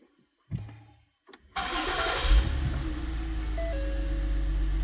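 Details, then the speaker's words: Ford SHO after replacing the actuator unit behind the dash to cure interior ticking on start-up: the starter whirs and the engine settles into a smooth idle with no ticking. "there it goes no ticking and we'll try three times a charm right on"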